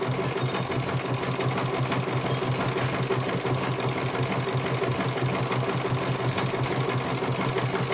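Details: CNY computerized embroidery machine being serviced, whose dynamo motor earlier would not turn: steady, even stitching clatter about three stitches a second, smooth motor, no knocks or grinding; running properly, one colour finished, judged very good.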